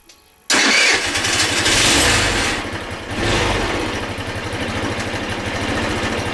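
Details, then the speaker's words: 2008 Racer Salut MT50QT-19b scooter, 139QMB engine, after setting valve clearances and cleaning carburetor: starts right away and settles into a steady, even idle with clean firing rhythm. "работает почему-то интересно почему Наверное потому что теперь зазоры в клапанах есть"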